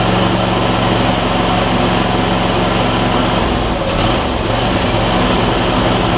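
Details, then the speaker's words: Replacement Briggs and Stratton V-twin on a John Deere E140, unrun for probably at least three years: even, fast beat holding steady with a brief dip mid-clip; smokes slightly, owner suspects oil in the muffler; normal running. "it's running really good which is awesome it just seems like it is smoking a tiny bit but again this engine probably hasn't run and goodness knows how long at least three years and it's already running that good"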